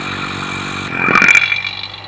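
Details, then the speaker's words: Single-stage 3 CFM vacuum pump used for vacuum testing valve seats, fully closed at 28.5 inHg. A brief hiss, then only the motor droning evenly, with the earlier bubbling gone. Normal running at full vacuum. "so fully closed that's 28.5 inches of mercury and you can't hear that bubbling noise anymore gone it's all you can hear is the motor turning over"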